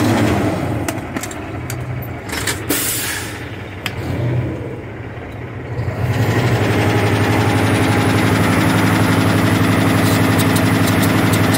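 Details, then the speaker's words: Warmed-up Cummins ISX 870 diesel at a steady fast idle with an even, regular clacking about four a second; the owner suspects an injector, which is about to get a cleaning treatment run at about 1400 rpm. Cause not confirmed. "let's see if you guys can hear that clacking noise first and i know it's the injector"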